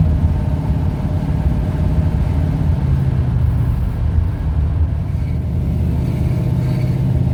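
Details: 1971 Ford Torino, rebuilt 302 V8 with C4 automatic, test drive after carburetor tuning with air cleaner refitted: deep, even rumble pulling steadily down the road, no pinging, rattles or stumbles. Runs smooth with no response problems; carburetor might still need jetting changes.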